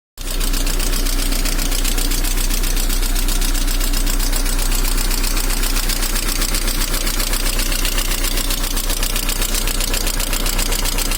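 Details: VAZ 2112 engine at steady idle with a sharp, regular knock about four times a second, heard more from the manifold side; source undetermined.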